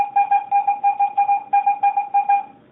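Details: Garrett AT-Pro metal detector air test with a clad quarter, reading ID 86–88. Clean high-pitched chirps about five a second over a quiet background give a solid, normal high-tone hit.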